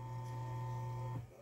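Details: Arno Laveo fan that overheated and stopped, after replacing the bushing and thermal fuse, shaft with no play, run through speeds: smooth, steady low hum with a single switch click, no rattle or scraping; motor runs clean and even.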